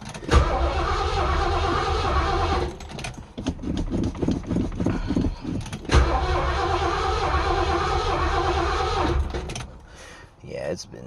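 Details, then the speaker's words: Fox-body Zephyr with carbureted V8, possibly a small block with Turbo 350, first spring start after storage with batteries left connected: catches, stumbles, nearly dies, runs rough then quits; almost needed gas poured down the carburetor; hard cold start. "probably almost had to pour gas down the carburetor to get it started"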